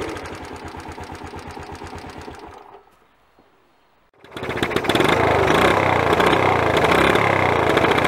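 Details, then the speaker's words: Honda CT110 after head gasket replacement, engine briefly started before cold valve adjustment: light even tapping about four per second following engine speed at idle; excessive valve clearances, to be set cold at 0.05 mm. "can you hear that characteristic tap tap tapping sound that's loose or excessive bowel clearances"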